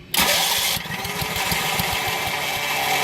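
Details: Long-unused onboard RV camper generator, choke operated: starter churns in quick uneven beats for three seconds while the small engine never catches and runs on its own. Cranks but won't start.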